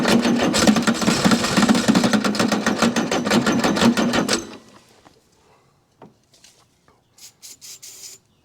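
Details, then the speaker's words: Chrysler diesel (Mitsubishi 6DS70 marine), sat for years in a barn, first start attempt after priming fuel with a hand primer pump: fast ragged cranking with uneven pops that never catch; possibly firing on only some cylinders, fuel solenoid function uncertain, batteries likely weak. "s like she's going to be a runner it's just a matter of how we get there"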